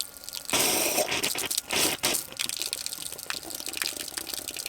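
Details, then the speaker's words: Repaired garden tap opened after the water system was repressurized by its pump: spluttering gushes and hissing bursts of water as trapped air purges from the line, then settling. "just purging all the air from the system now."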